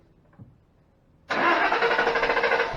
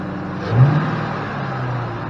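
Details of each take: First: 2005 Ford Mustang GT that died at work, fuel rail pressure about 44 psi so pump judged fine, mass airflow sensor under suspicion: about six seconds of steady, even cranking with no firing; crank no start. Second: 2005 Ford Mustang GT that would not start, running after codes were cleared (including P061B): the engine catches with a brief rise in revs, then settles into a steady, even low idle hum with no knocks or misses.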